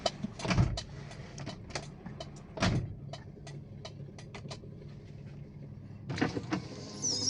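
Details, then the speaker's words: 2003 Toyota Kijang LGX 1.8 EFI, petrol, manual: power windows, including the rear ones, run up and down with several short, smooth motor whirs and no grinding or straining. Normal power window operation. "Aman, aman, aman. Untuk belakang aman bekerja dengan normal."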